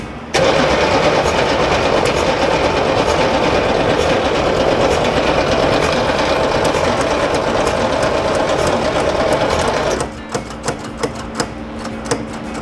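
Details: 1963 Corvette Split Window, idle for about 40 years, cranked fed from a fuel bottle: starter turns the engine steadily about ten seconds without catching. Cranks but won't start; accelerator pump suspected dried up, no squirt from the carburetor squirters.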